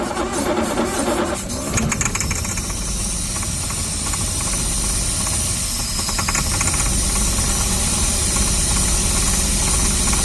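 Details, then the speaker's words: 1960 Jaguar S-Type 3.8L, right-hand drive 4-speed manual, first start after about eight years sitting, running on starting fluid: catches and settles into a fairly even fast idle with some clatter on top; sounded smooth and quiet — first start after long storage. "and the engine sounded so smooth when it was running it sounded just super quiet"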